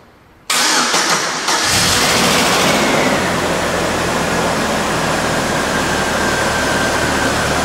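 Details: 2001 GMC Sonoma 2.2L, replacement engine's first start at about 89,198 miles, heat on hot, fan and AC off: brief crank, clean catch, smooth even idle without knocks or misses; good oil pressure, no check engine lights.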